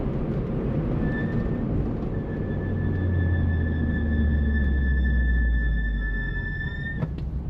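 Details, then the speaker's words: Mini Roadster JCW: steady high squeal around 1.8 kHz over road rumble while slowing for a roundabout, a constant brake squeal. "yeah hear that that's the squeak let me just slow the car up to this roundabout shall we yeah that's the problem that's the squeak all the time"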